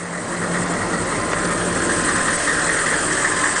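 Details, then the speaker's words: 1998 GMC school bus with 6.5 GM diesel, 209,000 miles, many new parts, well maintained by school system; starts right up: even diesel clatter at steady idle, no misses or heavy knocks; healthy normal diesel idle. "it runs great has a lot of new parts on it has 209,000 starts right up let's uh listen to the motor real quick got this 6.5 GM diesel"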